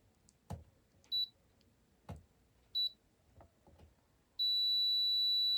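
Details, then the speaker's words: Multimeter check of transistor Q402 in a Nakamichi 481 cassette deck that arrived having smoked: a couple of short high beeps as probes touch, then a steady unbroken beep; Q402 shorted. "Shorted. Q402 is bad. Let's try 401."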